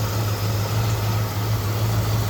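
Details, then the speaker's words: 1968 Ford Ranchero with Old Air Products CAP-200 aftermarket A/C, heard under the hood at idle: steady, even low hum with no knocking, squealing or clutch cycling. The compressor works well, with one line cold and one hot. "So here we are underneath the hood of my Ford Ranchero, and you can see the compressor's working amazing right now."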